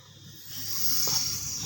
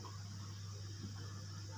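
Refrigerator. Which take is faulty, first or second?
first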